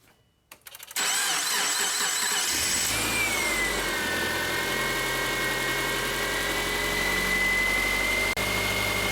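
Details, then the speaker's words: 2007 Subaru Forester 2.5 L after harmonic balancer replacement (was grinding under the hood, heavy steering, battery and brake lights): engine cranks, catches and settles into a steady even idle with no pulley grinding, healthy. "right guys so as you can hear the engine is running it sounds good we're gonna let it idle for a couple minutes"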